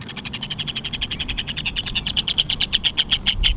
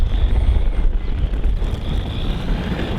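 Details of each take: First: Stock HPI Jumpshot MT Flux on a 2S LiPo: a sharp rhythmic chatter speeds up with throttle, then breaks into harsh skips as the pinion jumps the spur gear. The motor had shifted and run hot, leaving no drive. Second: HPI Jumpshot MT Flux, stock, on a 2S LiPo, after re-meshing the gears because the motor had shifted: a steady, high motor whine during full-throttle passes on gravel, over wind noise, with no gear chatter. Normal drive.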